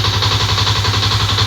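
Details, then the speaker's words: Fuel-injected motorcycle on ECU diagnostic scan, weak aged battery at 11.9 V, idles with a fast light metallic clatter over the steady engine note; cam chain not yet repaired: cam chain rattle at idle. "Mohon maaf kalau suaranya ada keletek-kletek. Itu suara dari Keteng ya, Guys."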